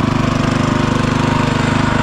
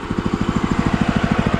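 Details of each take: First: DOZER G7 2BT 7 hp walk-behind tractor (aka Kentavr, DTZ, Forte), engine not yet warmed up: fast steady single-cylinder chatter with an occasional sharp pop; rare backfires while cold. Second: DOZER G7 2BT 7 hp walk-behind tractor (aka Kentavr, DTZ, Forte), idle measured at 1550 rpm by tachometer, set by black plastic screw: regular steady single-cylinder thump, unbroken; normal idle.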